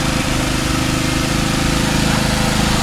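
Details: Subaru Outback after starter repair (factory 1.2 kW starter 23300AA710 replaced with 1.4 kW 23300AA570; starter bushing and brushes), first start after throttle relearn: engine catches fast, steady even idle, no grinding or whine; healthy.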